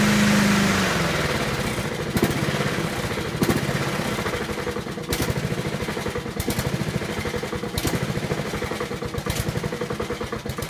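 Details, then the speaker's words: Honda HRT216 mower, stored outside since end of February with no fuel, just refuelled and cold-started (owner first thought a valve was stuck): settles into a low, even single-cylinder idle, idle screw fully down, its lowest and smoothest ever. "wow I have the idle on the ID on down the nothing so it's the lowest I've ever got this you"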